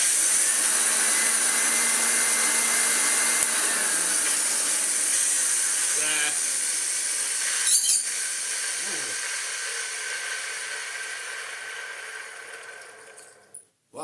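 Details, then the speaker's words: Hoover Junior 1334 upright vacuum with a hard life, before refurbishment: shrill harsh motor whine with a rough edge winding down after switch-off; bearing has a fair bit of play, may be dry or armature may need replacing. "that sounded angry oh yeah Fair bit of movement in our bearing she might be all right it might just be really dry it might need a replacement Armature"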